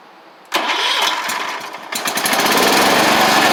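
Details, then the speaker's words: 1985 Wheel Horse 312-8 garden tractor after revival work (new fuel pump, fuel line, filter, carburetor, solenoid): quick crank, catches cleanly and settles into a steady, even single-cylinder idle with no misses or knocks; runs, drives, deck works, healthy. "But it again is a pretty decent machine for what it is and the age of it. Runs, drives, deck works, and can't really ask for much more with these machines."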